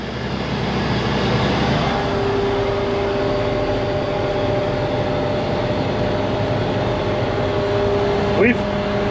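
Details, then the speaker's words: 1986 Gleaner R6 combine diesel, started after sitting about 3 years once put in neutral. Steady, even low drone at idle with no knocks or misses; the engine is settled and running cleanly. "There's somewhere I'm missing. There it is. Holy, she's alive!"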